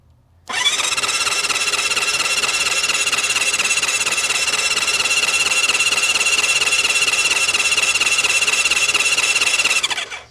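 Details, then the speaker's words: Honda CB550 or Kawasaki KZ650 1970s four-cylinder motorcycle sat for years, spark plugs out, solenoid jumped: brisk even starter whir about three and a half pulses a second, spinning freely without drag or grinding; cranking sounds healthy. "That sounds pretty good. I don't know about you guys, but I kind of want to put some spark plugs back in it and see what happens."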